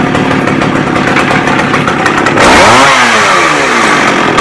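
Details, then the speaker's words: McCulloch 610 chainsaw after a carb cleaning and turning the high-speed screw out another quarter turn: raspy idle, then a quick, clean climb to high revs that falls back smoothly; runs right. "okay so basically I got it adjusted so it runs good revs up everything"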